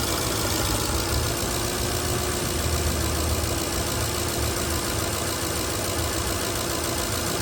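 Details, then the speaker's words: Toyota 2UZ V8 at cold idle, steady with light fast ticking that disappears once warm. The owner thinks it is normal injector noise but also suspects loose spark plugs (replaced about 3 years ago) or oil viscosity. "right now the engine is engine is completely cold I think that's noise of the injectors"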